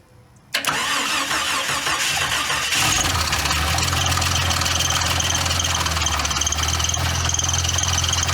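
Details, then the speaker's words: Jeep XJ Cherokee sat over a decade, first start after reconnecting cooling system: cranks, catches, fast idle with uneven clattering rattle like something loose up front; owner says something sounds not tight; rattle on startup, cause unconfirmed. "Something sounds like it's not tight."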